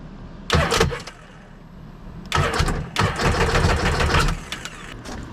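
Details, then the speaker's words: 2005 Sea-Doo supercharged jet ski after starter replacement, out of water: two cranking bursts, short then longer steady spin, no start; starter turns the motor over fine. "All right, well, she's cranking at least now, so we at least know it cranks."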